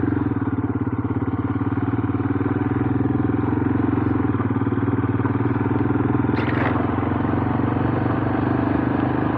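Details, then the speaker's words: Royal Enfield Himalayan single-cylinder on a cold, wet evening, after a bump start and a little choke: even thump at steady revs, no misses, knocks or rattles; running normally. "let's just give a little bit of choke and there we go sorted back to normal good old band or engineering"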